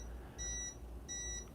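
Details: Breville Barista Pro espresso machine: two short high beeps as the water tank is refilled, clearing the blinking low water tank light that blocked shots.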